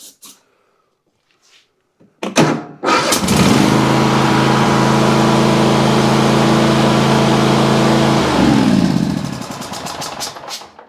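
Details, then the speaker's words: Riding mower or zero-turn that cranks but won't start: cranking catches and fires into an even running buzz after gas is poured down the intake, pointing to lean mixture, poor fuel delivery or a choke not working. "If it fires up right after that, then you know the issue is that we're either not getting good fuel to it, not getting enough fuel, or we're getting too much air, that the choke is not working."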